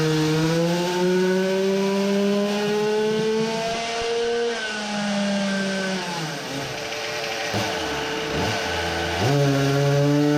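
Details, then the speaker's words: Samurai 40cc two-stroke on dyno, ignition set to 20 degrees across the range, best curve: clean shrill pull climbing to 14000rpm, still rising when throttle closed for fear of flywheel explosion. "revs to 14000rpm and would have kept going but i let off i was scared of the flywheel exploding"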